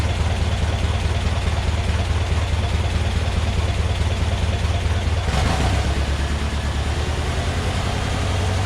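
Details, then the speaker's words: Massey Ferguson 35 Deluxe tractor after carb cleaning and rebuild, no load: steady, even drone held at about 2200 rpm, the highest recommended, then drops at about five seconds toward slow idle; healthy high-rpm run. "like 2200 or so which is is about as high as you're supposed to go on these"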